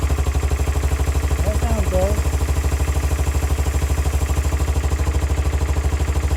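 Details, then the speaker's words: 2002 Kawasaki Bayou 300 ATV being revived, first start after refitting the carburetor, idling: single-cylinder thumps at a steady, even beat with voice over it and now revs, running much better; normal running. "a lot better. At least they're rev now."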